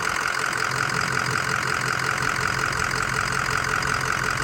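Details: 2005 Ford Excursion Limited 6.0L Powerstroke diesel 4WD, freshly rebuilt engine, 138k miles: steady idle clatter about two and a half beats a second, even, with no knocks or misses; blow-by test shows no blow-by, normal healthy idle.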